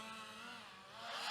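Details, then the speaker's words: 5-inch FPV freestyle quad (Nazgul XL5, Johnny FPV 2306 2250kV motors, Azure Vanover 5" props, 4S 1500mAh) in flight: buzzy motor whine sweeping down then climbing with throttle, ragged rasp on top; props super beat up; damaged propellers. "can hear my props. They're super beat up."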